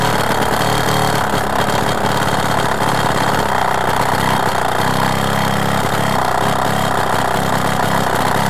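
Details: Solex 3800 compétition 16P moped, freshly restored, at first start: small two-stroke buzzing at a steady idle with a light, even putter and no knocks or misses; sounds healthy.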